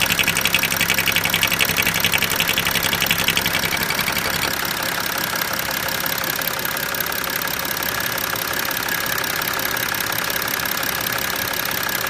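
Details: BMW 335d diesel idling with the oil filler cap removed: a busy rhythmic clatter and hiss comes from the opening; cause of the noise not determined.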